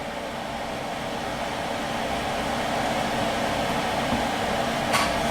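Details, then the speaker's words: Xbox One with its stock fan modded to run on 12V at unlimited full speed, heard from the back during boot-up. Constant airy whoosh and faint steady hum, louder than stock. No rattle or bearing noise; normal. "louder than what it was sure but it's going to be running a lot colder than what it was two"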